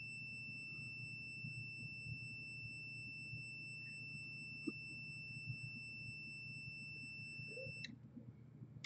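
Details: Multimeter continuity test on a modem-router hit by a lightning surge that killed a PS4: a steady high tone for about eight seconds shows a short between data lines; the Broadcom chip is to be removed.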